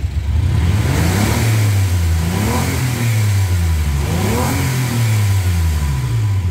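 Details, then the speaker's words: 2005 Suzuki Grand Vitara 2.5L petrol with a low power complaint, revved with the rear muffler disconnected; back pressure still reads 2.2 bar at the spark plug hole. Revs sound muffled and strained. Restricted exhaust, blocked catalytic converter suspected. "okay yeah we're still getting we are still getting 2.2 bar it's definitely going to be this cat but just to make sure let's drop it off it's two bolts"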